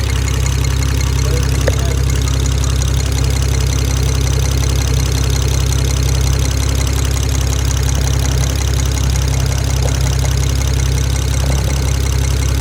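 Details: BMW 335i N54 engine at idle: loud steady idle with fast, fairly regular light ticking about three per second; owner unsure if valve tapping, rod bearing or injectors; top-end tick of unknown origin.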